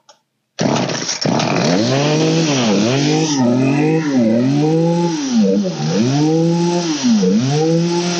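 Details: Old green Poulan 3816 two-stroke chainsaw with 16-inch bar, after carburetor high/low mixture and idle adjustment: fires cleanly and revs up and down repeatedly without stumbling or dying; normal running.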